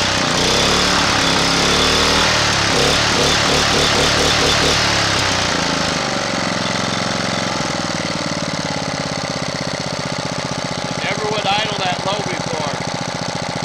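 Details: Honda GX240 after its carburetor idle-circuit passages and jets were recleaned, choked start: a few rough seconds, then a smooth, even beat near 220 per minute without hunting; the surging is fixed and the idle screw works.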